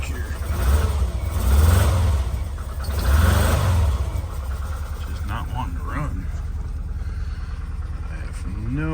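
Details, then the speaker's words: VW Vanagon with the stock 2.1L engine, cold start in icy weather, rear engine: it idles roughly with uneven surging, knocks and bangs, near stalling. It runs okay once warm; cause unknown. "boy the first few minutes runs knocks bangs doesn't want to idle very well"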